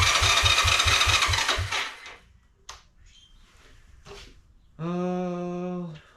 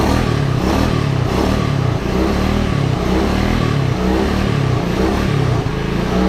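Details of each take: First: Long-parked 1986 Honda Fourtrax 125 single-cylinder ATV, before carburetor cleaning: the starter turns it over steadily at about three and a half even thumps a second but it never catches; spark present, pilot jet clogged. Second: 1986 Honda Fourtrax 125 after carburetor cleaning: strong low single-cylinder thump holding steady and revving cleanly without stumbling or misses; normal revving.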